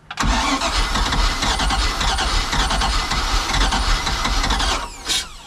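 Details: Used boat engine with water hooked up and an intermittently working starter solenoid: brief crank, then it catches right away and runs loud and steady for several seconds before shutting off; normal engine start.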